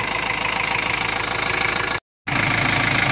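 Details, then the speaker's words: 2.2 L Ford Transit common-rail diesel after replacing the high-pressure pump's fuel metering valve (not yet coded): even clatter at steady idle, revs holding flat with no hunting. "so i need to do that still but it's not surging it's not going up and down in the revs so that seems to affects it on its own so far"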